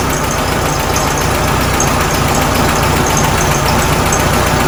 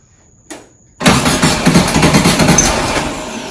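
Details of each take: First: 1967 VW Karmann Ghia, first idle after sitting since 1975: uneven, loose idle chuffing at about 220 beats a minute over a hissy background; owner says timing needs adjusting, likely points, belt, fuel pump issues, leak present. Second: 1967 VW Karmann Ghia, sitting unregistered since 1975, with a newly fitted starter: a brief click, then the engine catches at once and settles into a steady, busy air-cooled idle; it cranks and starts cleanly.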